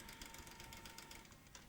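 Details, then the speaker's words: Top-of-range Hi8 deck (EVS-9000) running a tape: fast irregular mechanical ticking and clatter over faint steady tone; broken supply-side reel table. "let's see if it mechanically runs making some good EVS 9000 sounds I heard so it seems to be working but I think it may have a broken reel table hear that"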